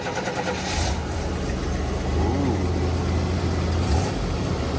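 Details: Buick Grand National just returned home, start-up: deep, steady low idle with even pulse, no ticking, knocking or stumbling; engine sounds healthy.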